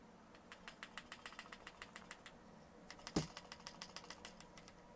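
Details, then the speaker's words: Unloaded Smith & Wesson SD9VE pistol shaken by hand, with an empty magazine in: light metallic clicks about six a second as the slide rattles against the frame through small gaps at the rear. "You hear that? That nice rattle? That's the slide. It's very small gaps in the back along the frame."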